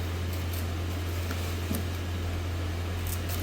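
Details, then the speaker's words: Lexus CT200 with 150,000 on the odometer, after a replacement part to cure an A/C noise heard with the engine running: only a low, steady hum without whistle or rasp, A/C very cold; normal quiet blower. "ปกติเวลาเครื่องติดนะเสียงตัวนี้จะดังนะตอนนี้เงียบแล้วนะครับไม่มีเสียงแล้วนะ"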